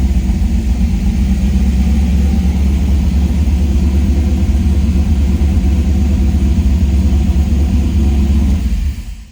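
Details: 1978 Trans Am SE with LSX swap and FiTech, brief first-start run before shutdown to add ATF: deep steady V8 rumble, no knocking, slightly uneven at first then evening out; engine running fine.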